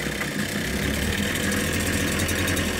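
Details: Ryobi 410 cultivator two-stroke, just started on a swapped-in carburettor after the original's cracked primer let in air: buzzy, steady fast idle for the whole clip, no stalling or surging; engine running properly.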